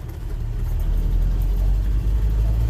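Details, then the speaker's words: 1974 truck, restored after rotting about 30 years and brakes sorted, under way: deep, even engine drone building smoothly with no knocks, misses or rattles; healthy engine under acceleration. "really a good running truck i'm liking it i think the customer's gonna like it too"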